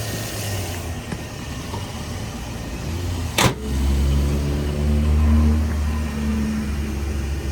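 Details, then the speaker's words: 2006 Scion xB after new spark plugs, cleaned MAF, air filter, intake piping and throttle body, warmed up: low, smooth, even idle rumble with no misses or ticking, one brief thump; healthy idle, though it was slow to warm up. "it sounds good sounds solid it just took a while to warm up"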